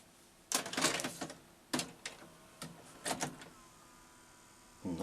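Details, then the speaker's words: JVC SR-VS30EK MiniDV/VHS combi deck, VHS side, loading a tape. Uneven clunks and rattles in bursts, a thin whir, then silence; the mechanism struggles and shuts down, then later plays without reading the control track. "doesn't sound good. Oh, it shut down."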